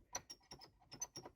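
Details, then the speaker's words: Can-Am Maverick X3, about 1000 km and 50 hours, cup holder console pushed by hand: short sharp plastic chirps in quick bursts, loose trim squeak; owner blames plastic push-pin grommet fasteners, not yet stiffened with inner-tube rubber like other panels. "why does that move and you can hear a little bit of a squeak right there if I do"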